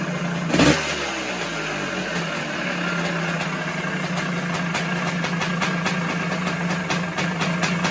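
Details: 1978 Yamaha YZ400E two-stroke motocross bike, running at a fast idle: a little rattly, a light metallic graunchy rattle under the exhaust note, also heard when kicking over; top end rattle, owner suggests a new piston and almost certainly the little end.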